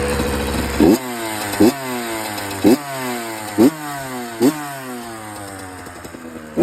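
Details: 2007 Honda CR85RB two-stroke engine popping unevenly with sharp blips and a light metallic chatter on top, a rattle of unknown origin.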